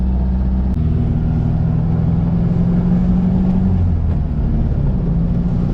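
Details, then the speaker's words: VW Beetle driving after exhaust leaks fixed and new fuel pump, grounding cable and positive terminal fitted: steady low, smooth, subdued engine drone, no puffing or ticking; exhaust much quieter than before, normal. "exhaust is a lot more quiet a lot more quiet on the inside like i could almost i almost don't hear it from here which i guess is a good thing"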